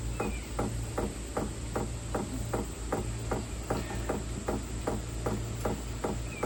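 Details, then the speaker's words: 2025 Vevor diesel heater, new, starting up: crisp, even ticks about two and a half per second over a low fan hum as the fuel pump begins drawing diesel into the system; normal dosing. "Oh, it's starting to knock. So, it's starting to take fuel in. It's starting to get that diesel down into the system."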